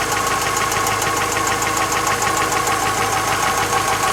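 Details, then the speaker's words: Chery Amulet at idle: light, fast ticking about three a second over a steady idle, top-end valvetrain tick; hydraulic lifter suspected, later reportedly cured elsewhere by new bled-down hydraulic lifters. "У нас Cherry амулет, и у него есть стук в двигателе. Давайте послушаем его."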